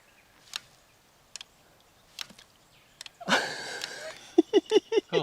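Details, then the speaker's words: Fox Live Valve electronic mountain bike suspension: sharp, soft single clicks about a second apart in near silence, then handling noise, as the latching solenoid opens or closes the valve to suit climbing, descending or simulated jump; normal solenoid operation. "now what you want to listen for here is a clicking noise which is the latching solenoid opening or closing the valve depending on the gradient of the terrain"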